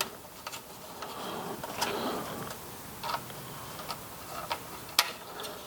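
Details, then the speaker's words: La Crosse TX144W wind speed sensor (anemometer) reassembled after a rebuild that removed two busted bearings; cups spun by hand give light, crisp, intermittent clicks with no scraping or rubbing: the internal reed switch turning on and off normally. "and then when I spin this you can hear the clicking inside can you hear the clicking so that is the re switch inside turning on and off"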